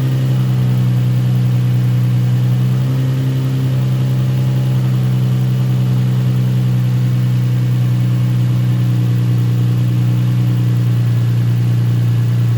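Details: Nissan 350Z after coils swapped between cylinders, cylinder misfire code previously: smooth, steady low idle hum with no skips or stumbles; misfire gone, cause was spark plug; still smoking from burning oil.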